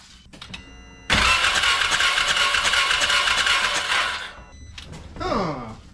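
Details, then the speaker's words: 2017 Can-Am Defender HD5 no-start, spark plug out and grounded on a bolt: starter churns steadily about three seconds, never fires; no spark seen, ignition coil to be tested next. "So, I didn't see any spark coming off of there. I don't think we had spark."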